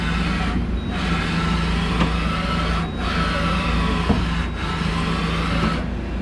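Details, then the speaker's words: 1998 Okuma MX-45VA vertical machining center, set up for 4th axis and said to have zero backlash, running X-axis travel while sitting unbalanced on wood. An even, steady slide with a low hum and a soft hiss from the way covers, no knocks; normal axis travel. "So let's go X. Same thing, super smooth. All you hear with this is the weight covers a little bit."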